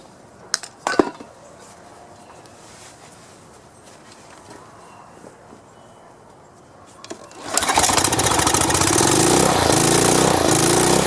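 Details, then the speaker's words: 2700 psi power washer engine after swapping in the pump from a nearly identical unit. A few pull-cord tugs, a pause, then the small engine fires and holds a steady, even running beat: normal start and run. "all right it's running I'll take it over here"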